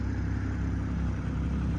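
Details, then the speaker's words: 2020 Toyota GR Supra 3.0 Premium with no leaks and no mechanical issues, driven probably at least 150 miles by the seller: a smooth, even low idle with a steady beat and no knocks or ticks, a healthy engine. "but yeah car has no leaks like I said there's there's no issues mechanically it runs great"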